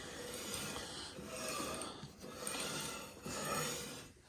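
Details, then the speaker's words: Go-kart: dry rasping scrape that rises and fades about every two seconds as the wheel turns, near the chain and brake; cause unconfirmed, owner may change the brake setup. "I can hear that scraping. Might have to do I'm going to do that as a break for now, but I might have to change that up."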